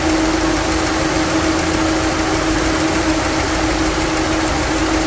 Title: Engine misfire :(